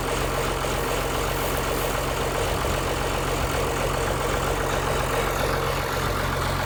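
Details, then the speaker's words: 1955 White (rebadged Oliver 1955) diesel tractor idling after jump-start from a Land Cruiser ute, which cured slow cranking from poor connections: steady low even chug, no misses; running healthy. "And you can see with a little bit of extra battery capacity just how quickly it came to life."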